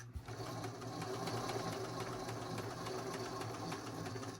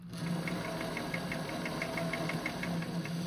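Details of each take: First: Singer 533 sewing machine, thrifted, very dirty, before cleaning and oiling: fast even whirr with a dry regular tick-knock about three or four per second; something knocking, possibly the feed dog. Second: Singer 533 sewing machine after partial cleaning and oiling: light even ticking, roughly five or six a second, over a steady low hum; runs much smoother and freer.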